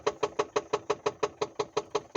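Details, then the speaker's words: Audi A2 1.4 petrol, stopped engine rocked hard by hand after clutch replacement (flywheel kept): sharp evenly spaced knocks, about six a second, from right side below engine mount; dealer suspected gearbox play, cause unconfirmed. "It's coming from my right hand side and it is not where the engine mount is. It sounds like it's coming from below where the engine mount is. I'm shaking this quite hardly"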